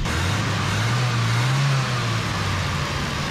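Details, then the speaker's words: Datsun mini truck engine after parts were drilled out and reassembled with a spacer: steady low idle with only slight pitch drift, no hunting or surging, idling better. "I drilled those out just put everything back together like you see me take it apart she's idling pretty good now"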